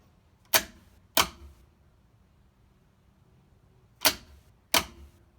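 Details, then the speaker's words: 1967 VW Karmann Ghia on a new ignition switch and keys, powered by a small lawnmower battery: four sharp clicks, starter engages but does not turn the engine; owner suspects a weak battery or the missing flywheel. "Wow it initiates but it doesn't turn I'm not sure that's just because it's not the flywheels not there"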